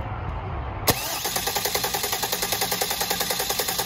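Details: Leroy, a drag car that had a severe vibration blamed on the clutch, is spun after a new clutch was fitted. One click, then an even pulse at about 3.5 beats a second with no heavy shake. The clutch is judged perfect; the slight wobble is attributed to the flexplate.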